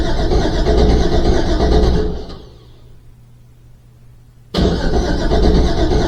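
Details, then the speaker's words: Rebuilt Trans Am cranking with no fuel or spark, charged battery, decent cranking speed, occasional cranking error; crank sensor replaced and cam sensor swapped with no change: steady cranking that never catches; cause unknown. "I'm not getting fuel or spark, and I'm not sure why. It's getting the occasional cranking error, charged battery, decent cranking speed."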